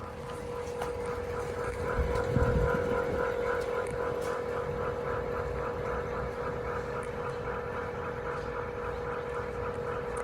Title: 【FUJITSU】⚠️（音声注意 voice note）⚠️ 異音がする 富士通 ルームエアコン 室外機 FUJITSU outdoor unit making noise